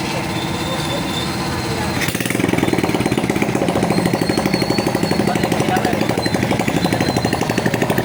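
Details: Honda XRM 125 after overhaul with new cylinder block, rings and connecting rod/pin, which had damaged the old block: catches after two seconds, settles into an even, steady putter with no connecting-rod knock.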